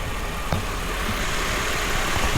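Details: 1995 Mercedes SL280, warm, after fitting a new fuel valve on the fuel rail that had leaked fuel into the intake and made it run rich, hunt at idle and hot-start poorly: steady, even low idle hum, no stumble or hunting.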